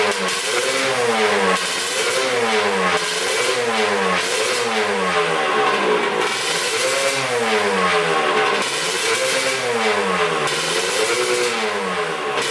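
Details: 1989 Kawasaki KX125 two-stroke, after new manifold fixed an air leak, carburetor float height suspected wrong, needle clip second from top: rev blips rise and fall but flatten early, never screaming up top; short on top-end power.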